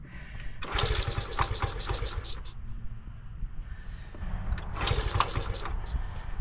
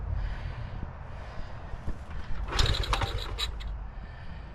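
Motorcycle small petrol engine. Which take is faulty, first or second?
second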